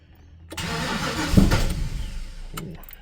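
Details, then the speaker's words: Ford Falcon XD with 351 V8, carburetor, freshly installed battery, fuel pedal pumped: starter turns engine about four beats a second for two seconds, never fires; owner suspects too much fuel; cranks but won't start. "Wants to go. Can't feel the pedal with this boot."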